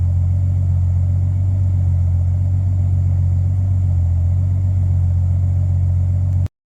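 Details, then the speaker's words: BMW E46 with turbocharged M52B28TU, stalling, smoke and knock: deep warm idle with slightly uneven pulse; idle about 1500 rpm while warming, hunts when dropping to 900; owner suspects camshafts not timed, possibly something loose in head. "А когда 900 упадет, тогда будет скакать. Походу валы не выставили."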